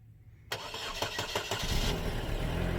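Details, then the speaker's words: Cold start of a Chevy Sonic LT: a brief crank, then the engine fires and flares into a smooth, steady cold idle with no knocking. A normal, healthy cold start. "All right, hold on. This is a cold startup on a Chevy Sonic LT."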